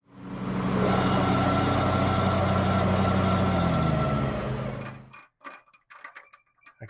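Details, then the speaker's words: Husqvarna MZ61 zero-turn mower running after annual service: steady engine drone with rough rhythmic low rumble from the deck until shutdown; bad right-side deck spindle, to be replaced. "We did annual service on this the other day for the neighbor, and while it was here, I discovered it's got a bad spindle."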